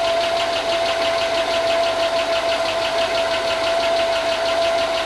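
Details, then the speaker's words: Chevy Tahoe 5.3 LS V8, long unused, just after first start following a ground repair: a light, fast tick over a steady idle with some hiss; the owner thinks it is only lifters that have not pumped up, oil good. Not confirmed. "it's ticking like I just sent you a video. It's ticking. I think it's just lifters though."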